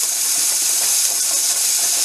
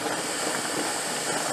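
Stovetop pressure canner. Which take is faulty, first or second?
first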